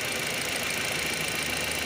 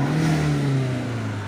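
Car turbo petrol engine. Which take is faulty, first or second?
first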